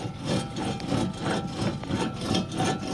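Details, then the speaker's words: 2007 Chevy Suburban 4WD front hub bearing assembly, rotor off, hub turned by hand: rough gritty grinding pulsing about three times a second, with quarter- to half-inch wheel play; worn-out hub bearing. "making a whole lot of grinding noise in there. That means those bearings in there are gone."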